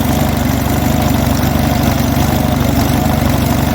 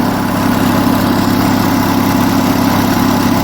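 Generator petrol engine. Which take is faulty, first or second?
first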